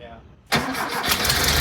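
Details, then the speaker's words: 1973 VW Thing with a swapped-in VW Beetle air-cooled engine restarted: it cranks, catches and runs unevenly, then dies out of gas; fuel starvation, the mechanical fuel pump found stiff and in disrepair. "it's out of gas well let's uh yeah we were thinking that fuel pump was so Greg pointed out how stiff it was yeah generally in disrepair"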